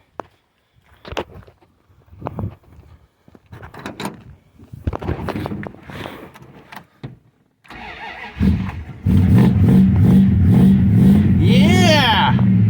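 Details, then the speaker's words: 1970 Plymouth Fury III convertible, 318 two-barrel V8, A904 automatic, after battery terminal installed: cranks, catches and settles into steady even low rumble with quick clean rev; engine runs fantastic and drives well. "this engine runs fantastic drives really really good"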